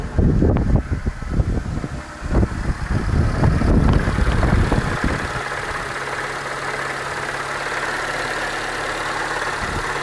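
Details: 2004 Peugeot 307 1.4L petrol idling with a light, uneven knock in time with the revs; it persists after a full timing belt kit and with the crankshaft pulley removed.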